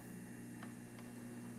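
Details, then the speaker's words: Juicer after disassembly freed its stuck-off safety switch, motor running with steady, even low drone, no catching, grinding or stalling; cord, on/off and safety switches checked fine, normal motor run. "Onoff switch is working. Safety switch is working. So, good news for the person that owns this."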